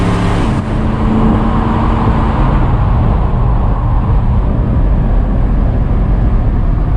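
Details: 1969 Dodge Dart V8 after swapping a Holley 750 cfm carb for a 600 cfm and replacing a leaking header gasket, revved: deep steady roar with no misses, pops or exhaust ticking. Header leak gone; possibly loading up on fuel.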